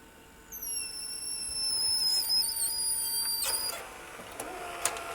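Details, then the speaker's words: National (Panasonic) NV-G12 VCR under teardown, tape inserted: high thin whines wavering in pitch, then scraping clicks as transport labours; something in the tape drive has gone stiff or is dragging, suspected not confirmed. "well that's no good is it wonder what was what was upsetting it there something gone stiff in there"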